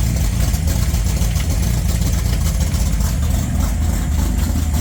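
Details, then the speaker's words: 1981 Mustang LX Fox body, freshly built 302HO with Lunati hydraulic roller cam, SVO aluminum heads, Vic Jr intake, Demon 750 carb, long-tube headers: deep loping uneven idle, no clear knock; runs but rough, not perfect yet. "But, uh, very soon you're going to see this thing under its own power driving. We're not far off. So, but today you'll see the car running, get to hear it, you know, hear the thing idling. It's not perfect, but it runs and it's substandard and it's mine."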